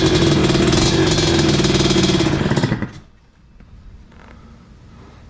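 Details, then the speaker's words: 1986 Tecate 3 two-stroke, fresh build with new bore, piston and rebuilt crank, first start after many years at half choke: catches and runs with crisp, even popping for about three seconds, then quits; fires cleanly. "we got some fire, boys. Yes. Yeah. Thank God. Finally. And it sounds like a freaking four-wheeler or whatever."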